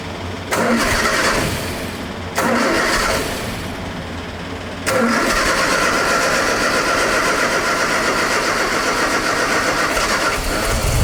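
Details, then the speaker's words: MGA 1600 roadster cold start on a manual choke held by hand, with the new cheap exhaust: the engine catches, fades and dies twice before holding a rough idle because the choke was released too fast; it needs to warm up. "Choke loose too fast. Oh, is that what it was? Yeah. Needs to warm up for a minute."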